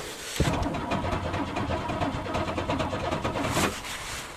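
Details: Car unused since June, cranked on a cold morning: about three seconds of steady rhythmic cranking that never catches or fires, then the starter stops; a hard cold start with no clear cause.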